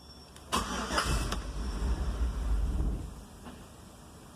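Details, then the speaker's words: GMC Yukon crank-no-start: brief crank barely catches for a couple of seconds then dies; fuel pressure gauge shows no pressure, so fuel delivery suspected before priming. "Hindi pumalo hindi mo lang gumalo yung pressure gauge. Fuel pressure gauge natin."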